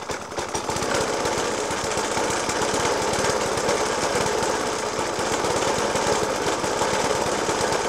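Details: Suffolk Punch 30S mower, 1991 era, Dellorto FCH 20 carb; after new spark plug, decoke and carb clean, still hard rapid jackhammer-like banging with an uneven beat throughout the idle; cause unclear.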